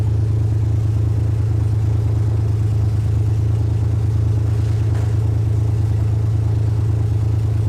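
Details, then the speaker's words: 2001 Lexus IS300 after its clogged cats were replaced by an aftermarket header, with the O2 sensors swapped over and CEL-delete adapters fitted: a steady, even idle with a low hum and no misfire stumble, much better; earlier cylinder 3 miss possibly not cured. "So right now the car is idling way better."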